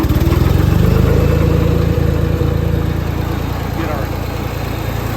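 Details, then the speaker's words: Ford 2600 tractor after a valve adjustment, freed stuck valve: steady low idle with an even beat of about four per second and only faint tapping under the valve cover, much quieter than before. Normal idle. "sounded much quieter so these are pretty noisy but you hear a little bit of tapping ignore ignore that whatever that noise is but you hear a little bit of tapping under the Val cover but not like it was before"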